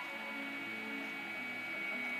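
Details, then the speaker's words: iMac G5, possibly 2004, running Leopard, iTunes visualizer loading the processor, fans already cleaned and SMC reset; constant airy whir with thin high whine growing louder as it heats, cooling fan working hard; source unknown. "you can hear it getting progressively hotter louder what is it in there it's causing all this noise"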